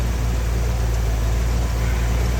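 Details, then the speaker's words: Rebuilt Ford 302 V8 in a 1983 F-150, now driven daily including several 100-mile trips. It gives a deep, steady warm idle rumble with an even beat and no knocks or ticks, and holds 50 psi hot oil pressure. "So you'll see, it runs great. I've taken this thing on, you know, several 100-mile trips. I drive it every day."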